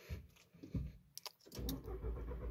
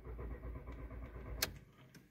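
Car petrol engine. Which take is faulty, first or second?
second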